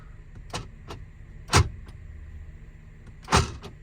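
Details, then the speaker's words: Jeep power door locks engaging automatically while driving: sharp clunks each trailed by light ticks as the inner door lock pin rattles inside a loose, unglued aftermarket pin cover, louder on the driver's side. "you hear the rattling I don't like it it's mainly on my side I hear it more on my side"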